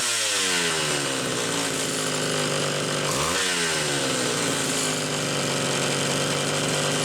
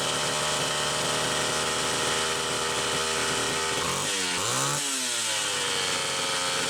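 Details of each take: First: Homelite Super XL two-stroke chainsaw after repair: metering inlet lever spring stretched about a coil and the high-speed jet set slightly rich. A crisp high buzz holds steady, dips briefly and climbs straight back on the throttle with no stumble. Normal running. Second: Homelite Super XL two-stroke chainsaw with a mid-80s Tillotson carburetor, test run: a high, buzzy scream with uneven revving and a ragged dip under throttle. Gas is seen leaking at the carburetor, traced to a weak inlet needle spring.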